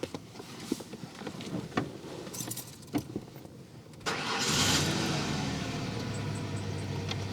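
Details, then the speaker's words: Chevy Vega with LS1 V8 and nitrous, old motor, just given fresh oil with zinc additive: keys rattle, then catches first try and settles into smooth steady idle; normal start and idle. "all right let's let's start her up and y'all can hear this kitten purr"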